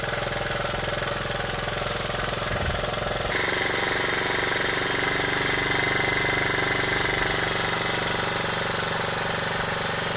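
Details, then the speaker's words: Honda Z50 small single with points ignition, first start after build, chain removed awaiting sprocket: quick, even patter with no knocks or stumbles, just idling beautifully before shutdown; healthy steady idle. "Just idling beautifully. Alright guys, well, let's shut this thing down now."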